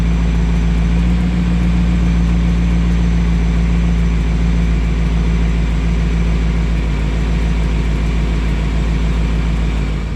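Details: BMW E39 M5 after topping up new power steering fluid and bleeding by turning wheel lock to lock at idle: loud steady idle, even low drone, no whine, groan or squeal from the steering pump; sounds healthy.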